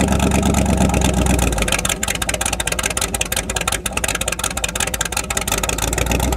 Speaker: the exhaust came undone where I always had an exhaust leak but it came undone and it got just crazy loud